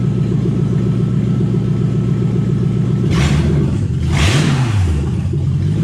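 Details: Toyota 1UZ V8 in a Ford Falcon after cleaning a part with carb cleaner (owner suspects it was stuck open): steady low idle, quick throttle blips rise and settle back smoothly; normal idle.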